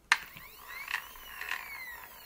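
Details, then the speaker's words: 3D-printed PETG gear train on stepper-driven PnP parts dispenser: light clicks and rattles over rising and falling stepper whine, noisier than PLA gears; owner suspects cogs touching, may reprint thinner. "can hear the rattling. So not just the but there's just a sound. To do with the rotating of the cogs."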